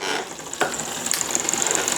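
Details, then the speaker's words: Rear gear cable re-housed on a nearly new bike with inline barrel adjuster, indexing after shifting one gear: chain keeps ticking fast against the cogs without settling. Poor rear shifting from low cable tension; limit screw also needed adjusting. "Need more tension. Hmm, which one should we use? I'll go with this one."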